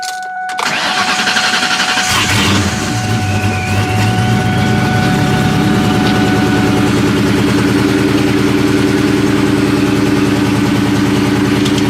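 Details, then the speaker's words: Supercharged 99–04 New Edge 2V Mustang GT (Vortech V1 Ti-Trim, 2.87 pulley, BBK 78mm throttle body), first startup after a shop tune: short crank, flare, then idle with a recurring stumble; engine misfire. "so what you guys just listened to was the initial startup of my supercharged mustang gt after getting work done at modern muscle out here in illinois"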